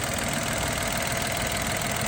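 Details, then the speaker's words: 2014 Daihatsu Mira three-cylinder petrol idling steadily and evenly with all coils working, after repair of a misfire in the middle cylinder (P0350 coil fault); plug had carbon, possibly from water getting in. "अभी जो है इसकी सारी कॉइले काम कर रही हैं।"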